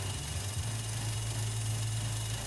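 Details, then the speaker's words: GM 1.4 turbo (Cruze/Sonic/Trax/Encore) idling low and rough, surging with check engine light on and engine shaking; the PCV valve inside the intake manifold has failed, leaking air (P1101/P0171). "All right, so you'll notice the check engine light is on. You'll notice it's surging a little bit."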